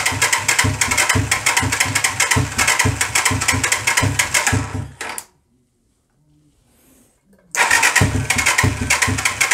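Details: Hard starting on a 125cc CCW Sinnis Heist hardtail chopper single, on a stand: fires in rapid uneven bursts, dies to silence, then catches again roughly; won't hold a steady idle by itself.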